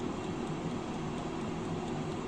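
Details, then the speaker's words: Philco Gourmet Black 1500 W 4.3 L air fryer baking at 160 °C for 30 minutes: steady soft fan rush with faint clock-like tick-tack from the timer; normal running sound. "esse barulhinho que ela tem como se fosse um tic-tac de um relógio ele é normal"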